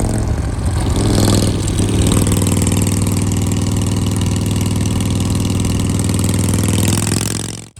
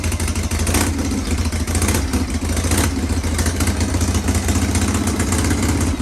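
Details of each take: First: Shovelhead with an S&S Super E carb, after re-jetting and new throttle and idle cables (an earlier miss was suspected to be too much fuel), catches, blips once, then settles into a steady, even, low thumping idle with no misses or knocks; normal idle. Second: Shovelhead chopper with an S&S Super E carb, kick-started on the enricher after re-jetting, with a slight miss noted on the road: loud, lumpy V-twin beat with uneven loping and slight surging. Owner thinks the carb needs more setup.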